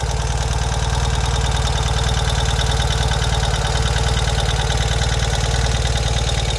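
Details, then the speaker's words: 2023 Ural sidecar motorcycle idling cold at 20°F shortly after cold start: even steady low thrum with regular beat and extra cold mechanical chatter; additional noise when cold is normal, tone changes; normal cold idle. "so you are going to hear additional engine noise when it's cold you hear different noises on every piece of mechanical equipment when it's cold so that's uh you can hear the the engine making some different sounds perfectly normal"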